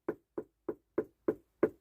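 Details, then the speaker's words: Webasto-type diesel heater fuel dosing pump in a van, suspended to limit noise: sharp, even ticks about three per second with silence between, normal pump operation. "ce bruit-là. Donc voilà, ça fait ce bruit-là. Donc une pompe, il faut justement l'isoler pour éviter qu'il y ait ce genre de bruit, quoi."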